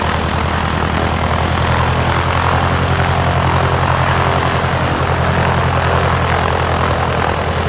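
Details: 1946 J-3 Cub engine on its first ground run after a four-year restoration: a loud, steady propeller drone with an unbroken firing beat and no misses. Mags and carb heat checked good, temperature a little over 100. Normal engine run-up.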